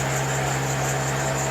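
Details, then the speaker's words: First start after the owner's first motor swap, briefly run: steady even hum with constant low tone, no knocking or ticking; engine quiets down into a clean normal idle. "it's quiet down oh man I'm happy about that I'm happy about that all the hardware paid off"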